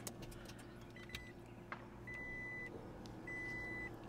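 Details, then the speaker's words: Second-generation Toyota Prius after HV battery work and a 12V-to-inverter fuse wiring fault: a quiet steady hum, then two long even beeps about a second apart as it shows ready; the hybrid starts normally and runs great. "you guys can see it says it's ready just have to check my tire pressures it runs great"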